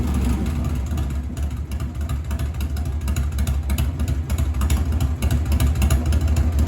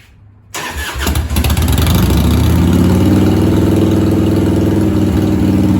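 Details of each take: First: 1997 Harley-Davidson Heritage Softail Classic, 80-inch Evo V-twin, new S&S Super E carburetor after lowering the idle screw about half a turn: low, steady loping idle with no stumble; idle now properly set. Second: 1997 Harley-Davidson Heritage Softail Classic, 80-inch Evo, just fitted with a new S&S Super E carb, battery and ignition; it cranks, catches and holds a fast, steady idle. The carb idle screw is set about half a turn too high.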